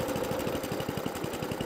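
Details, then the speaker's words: Atco Balmoral cylinder lawnmower on the bench during a service; the small engine keeps a steady rapid putter and won't shut off because the throttle cutoff is misadjusted. "all right so I was adjusting I can't shut it off"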